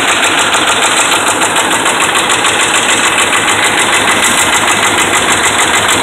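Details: Dodge Ram 5.7 Hemi V8 runs with a steady, regular knock about three times a second from bad connecting rod and crankshaft main bearings; revs kept under 2,000 rpm.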